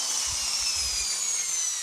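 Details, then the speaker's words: Electric drill after replacing worn carbon brushes (before, it would not turn without hand-spinning): steady high motor whine, no stutter, starts first time in reverse without help; repair successful. "ลองกลับทางนะครับปึ๊บโอเคนะครับทีเดียวติดไม่ต้องช่วยหมุนนะครับแสดงว่าเรามาถูกทางนะครับ"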